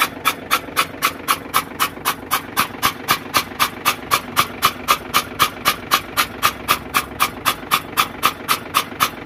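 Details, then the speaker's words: FAW truck that would not start after standing 2–3 hours; water found in one cylinder. Cranked with the injector out to blow water clear: fast, very even chuffs about four per second, each with a hissy spit. "तो हमने देखा था कि एक ही या chapter में मतलब एक की पिस्टल में पानी आ रहा था"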